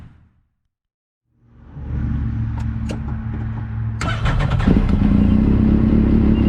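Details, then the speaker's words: Yamaha YXZ with an Agency supercharger showing 4-5 psi boost, stiffer bypass spring fitted, vacuum lines smoke-tested with no leaks. Low, rough drone that bogs in first gear, burbles and almost backfires, pulling only when wound out. Cause unknown. "you can hear it bogging down pretty bad first gear when I first hit it it barely responds it kind of burbles and almost backfires"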